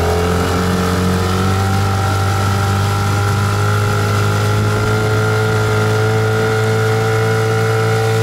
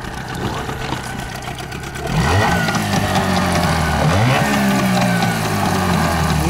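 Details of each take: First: Yamaha 8 or 15 two-stroke outboard on 92 or 95 petrol, top-speed test: steady, even high drone holding at full throttle, pitch climbing smoothly near the end; healthy running. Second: Yamaha two-stroke outboard (8 or 15 hp) on 92-octane petrol, blipped twice: a rough, rattling knock (detonation) as the throttle snaps shut. The knock is the same on 95-octane.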